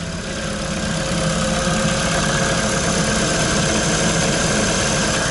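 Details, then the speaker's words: Ford Focus 2 after alternator belt replacement, idling with high beams, rear and windshield heaters, A/C, max heater fan, hazards and wipers on: steady, even idle, belt no longer squeals under electrical load; normal idle. "так дело было в ремне. Еще раз посмотрим. Все. Работает, ремень не свистит."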